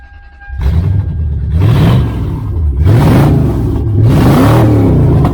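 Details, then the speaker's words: Car with catalytic converters removed, engine blipped: deep, loud rasp swelling with each throttle blip; formerly quiet, now sounds like a hot rod. "no no cats on it so it was quiet as a church mouse but now she's gonna be loud"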